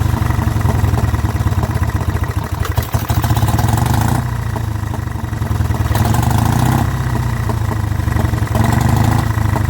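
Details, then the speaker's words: Vintage Douglas engine, first run after 40 years under a hedge, following carb cleaning and mixture screw adjustment, running without a silencer or cooling tin work. It gives a steady low thrum with an even beat and no knocks or misses: normal running. "there we go the Douglas does live and don't actually sound nice oh even without a silencer on she sounds really good"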